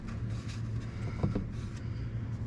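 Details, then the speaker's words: C3 Indianapolis Pace Car Corvette windshield washer pump, removed and bench-tested on 12 V with tap water: a steady low buzzing hum with rough, uneven chatter while it pumps. It pumps but makes an awful noise. "let's see if it pumps here oh there's that noise it does pump but man it makes an awful noise"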